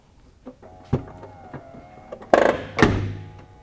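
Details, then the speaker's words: 2012 Bentley Continental power boot lid: pressing the button gives a brief strained motor whir and hard thunks as the lid drops back; actuator motor's gear teeth stripped, a common Bentley fault. "I know that noise. This is a very common issue with the Bentleys. The motor that actually actuates the boot lid has teeth that get stripped."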